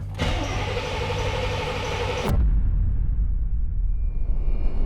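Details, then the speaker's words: Chevrolet Camaro IROC-Z, 18,000 original miles, abandoned 30 years, fresh battery: starter spins the V8 evenly for about two seconds with throttle given but never fires; suspected no fuel delivery. "I'm going to give her a little bit of gas and see if she'll fire up. I don't think she's getting fuel."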